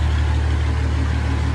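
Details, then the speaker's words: MB Trac 1300 diesel tractor, first start in six months after new injector seals, hydraulic hose and oil, and air filters: deep, even idle with no knocks or misses, running like a kitty cat. No leaks, though there is an air leak under the seat. "like a kitty cat and no leaks are farther well enough of anything I've done anywhere so that was there before from the tank work but yeah first time she started in I got six months"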